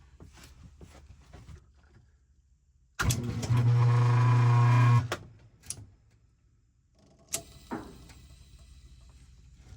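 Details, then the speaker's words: Whirlpool washer motor on the bench after a new start capacitor was fitted (it would not turn before): a brief, strong, even hum for about two seconds as the shaft spins up cleanly with no stalling drone; the motor runs properly. "now when you turn the motor it turns on nice and strong I'll show you on and you'll see a shaft spinning"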